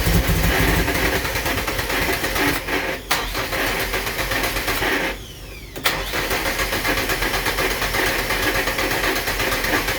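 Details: Nissan Silvia: long stretches of steady starter cranking with short pauses, engine never catches; cranks but won't start.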